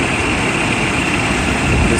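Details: Mercedes S600 coupe started after belt, idler and fan clutch replacement: steady even idle with smooth hum, no squeal or chirp from the belt side that it made before; engine sounds healthy.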